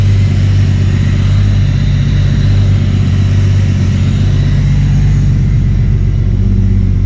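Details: MK3 Toyota Supra after the Crispics igniter-ground mod and with the igniter now plugged in properly, previously not firing: deep, steady low rumble with an even idle, no stumbles or hunting, idling much smoother and calmer than before.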